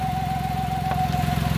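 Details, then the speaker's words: Fiat Argo at idle: steady high whistle over even idle from vacuum leak through perforated valve cover PCV diaphragm (works on negative pressure); planned fix is new diaphragm, gasket and cover cleaning. "e o barulho que esse carro faz galera é um barulho chato tá fazendo aí é o diafragma da tampa de válvula não é para ficar apresentando esse barulho aí"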